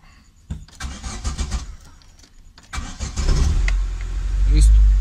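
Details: 2008 Chevy C2 that would not crank, after taping a broken wire at the clutch pedal start switch: starter cranks in short bursts, then the engine catches promptly and settles into a steady low idle.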